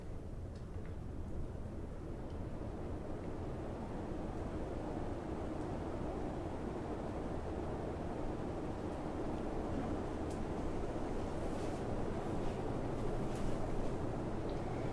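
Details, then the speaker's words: Hunter Original ceiling fan started on high: soft, even airy rush with no hum, rattle or ticking; blade isolation ring with rubber spacers absorbs motor hum, normal quiet running. "so the result is a very quiet fan let's go ahead and start it up on high takes right off"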